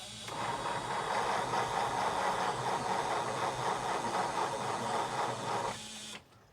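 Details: 1962 Ford C750 cabover, Y-block/FE with a worn starter, on old low-charge spare batteries: slow, laboring starter churning about two beats a second for six seconds, never catching; cranks but won't start, battery suspected weak.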